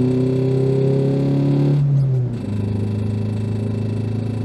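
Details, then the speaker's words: Renault Twingo 1 with 740,000 km, unused for two years on old fuel, new battery and ignition coil: climbing a hill stuck in third at 60 km/h, loud strained drone that climbs, breaks off, then settles lower. "oh là là là le bruit c'est pas beau on va pas partir trop loin quand même"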